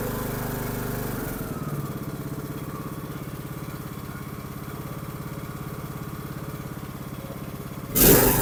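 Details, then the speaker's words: Troy-Bilt Pony 42X riding mower, after fitting the correct carburetor and linkage, with the brake on. Runs smooth and even at a steady speed with no misses or surging, much better than before: normal running. "that sounds so much better I have no clue what happened to this but I'm glad we got it fixed for him so they can go mowing now and runs decent"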